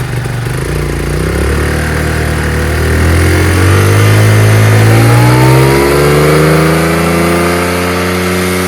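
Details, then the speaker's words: Chinese GY6 150cc scooter: drones low and struggles as throttle opens, pitch climbing slowly until it catches and pulls cleanly at higher rpm; bog off idle, owner suspects air-fuel mixture or float problem. "It's just that from stop to that area is where it bogs down. It's tough to get the throttle there."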